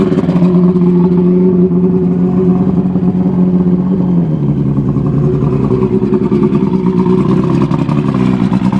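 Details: Evinrude Starflight 100 hp two-stroke outboard, four cylinders, on premixed fuel after restoration work, choke-started: steady buzz at fast idle, pitch easing as throttle drops, smooth and even; runs and revs normally.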